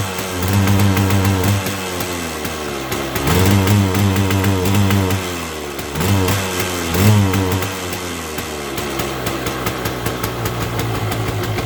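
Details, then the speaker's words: 1979 Yamaha Enduro DT175 two-stroke with oil injection, starts hard: revs in uneven bursts and falls back, boggy, won't rev freely, smoking more now with oil in crankcase; owner suspects right-side crankcase seal and O-ring, clutch likely also needs replacing. "I found out that um the right like I said earlier in the video the right side crank case seal and the O-ring that goes with it quite likely a problem cuz it's smoking more now that it has oil in the crank case"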